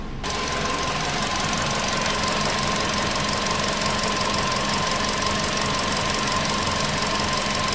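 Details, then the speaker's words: 2015 VW Polo Sedan (CFNA petrol), 76,000 km, warming up after cold start (reached about 80): unsteady rough idle, quick uneven ticking near three per second over a thin whine; engine shaking, though the old cold knock reportedly stopped. "Двигатель, конечно, колбасит. Вот так, проехав 76 тысяч, двигатель внезапно перестал стучать."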